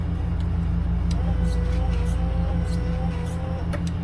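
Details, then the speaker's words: 1941 Chevy truck restomod aftermarket wiper motor wired low/high/park through Painless harness: thin wavering squeal repeating each sweep over idling engine; owner thinks wiper drive is rubbing on insulation, unconfirmed. "And then I'm going to hit power. And you can hear there's a squeak. High."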